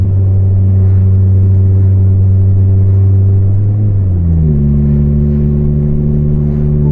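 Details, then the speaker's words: Volvo 440 at traffic lights, exhaust just broken apart: loud, deep booming, unsilenced drone dropping in pitch as revs fall; exhaust leak. "ndpa Volvo but the exhaust just broken literally came apart and I hope it's going to stick because I'm on my way to the garage broke just a few minutes ago but now when I accelerate it has a really epic beefy sound that I wouldn't want it to have all day"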